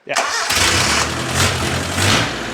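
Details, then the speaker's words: Nissan 910 Bluebird wagon engine fitted with R31 headers, starting on first crank right after the distributor was plugged in: catches almost at once and settles into a steady idle with no misfire or knock; normal start and idle. "That was like first crank. That's great. I didn't have to idle up or anything. Yeah, cut it. Holy crap! Yeah. It wants to live. Wow, and it sounds so good."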